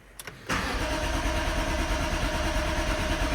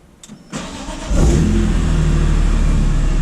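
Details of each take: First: BMW E46 M3 started in neutral with the fuel pump plug removed (before fitting an AEM 340LPH in-tank pump): it cranks, catches, runs rough about five seconds, then fades and dies, a stall from fuel starvation. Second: E46 BMW M3 after installing an AEM 340LPH E85-compatible in-tank fuel pump with retrofit kit, primed then started: brief starter whirr, engine catches and settles into a strong, even idle with no misfire or stumble; normal start, no leaks.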